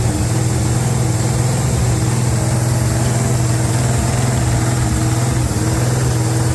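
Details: 350 small-block on an engine run stand with an electric fuel pump, during break-in: a steady, even low rumble with no knocks or misses at a smooth idle; it sounds healthy.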